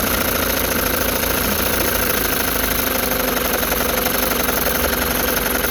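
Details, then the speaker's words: 1960 Evinrude Fisherman 5.5 hp two-stroke outboard, rebuilt after broken lower unit, running in a test tank after running a bit lean: quick, even buzzing idle holding steady with no misses or surging; sounds good. "Alright, that sounds good."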